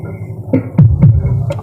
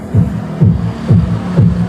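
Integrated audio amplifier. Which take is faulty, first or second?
second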